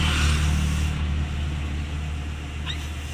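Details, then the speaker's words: 2010 Suzuki Carry Futura 1.5 at idle: steady air-like hiss when the brake pedal is pressed, louder when pressed deeper, fading after about a second; a leaking brake booster seal. "ya nah ini seperti ada ular ya kalau kita injak lebih dalam suaranya lebih besar lagi"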